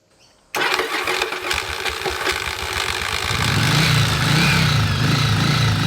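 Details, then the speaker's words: 1981 Yamaha XV750 Virago, restarting after a short ride following reassembly: harsh metallic grinding and chatter on the starter, engine barely catching; the replaced starter (Bendix) drive gear possibly fitted in the wrong orientation. "After putting all this back together, I had a message from a guy named Graham who said it looks like that Bandix gear that you've just replaced is in the wrong orientation."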